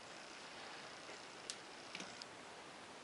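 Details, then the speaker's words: 2001 Honda Foreman 450 ES cooling fan control module, unplugged and pressed or twisted: sharp irregular relay clicks over a quiet hiss as the fan kicks on and off. Temperature light flickers; bad internal connection inside the potted module. "hear the relays inside this thing clicking too. So it's just a bad connection inside this module. It's too bad they potted it in."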